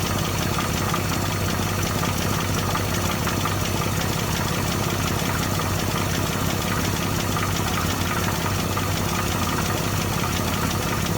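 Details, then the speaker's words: 1964 Dodge D100 Slant Six first start after reinstalling the harmonic balancer, before timing set: steady but very slow, lumpy idle with low even throb; idle speed too low, needs raising. "juice it up and let's fire it up okay the rpm i think is too low right now"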